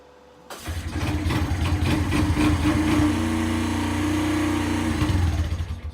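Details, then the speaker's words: Free Kawasaki Bayou quad that had stopped running, started by recoil pull starter: catches straight away, then steady slightly uneven single-cylinder idle before dying away; it runs but smokes a bit. "So we can start it with a pull starter. It runs."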